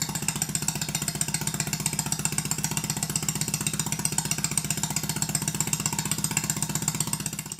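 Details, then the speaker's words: Stuart Sirius model steam engine running on steam or compressed air after big-end bearing adjustment; crisp, evenly spaced exhaust beats about four per second, no stumbling. Valve timing correct, unlike the other engine, which is retarded (admission late); exhaust arrangement also affects sound. "As you can hear, there's a considerable difference in the sound of the two engines. Some of this is due to the exhaust pipe arrangement. But the main difference is, this engine is late, the other one is perfect."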